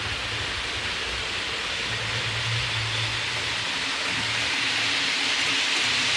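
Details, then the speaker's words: Hornby APT coaches after cleaning the wheels and copper pickup contacts: an even rolling hiss with no high squeal, the squeak now fixed, though one bogey in the first half still has a slight squeak. "all right so it's no longer squeaking uh there's one bogey on the first half of the train it has a small little sneak still"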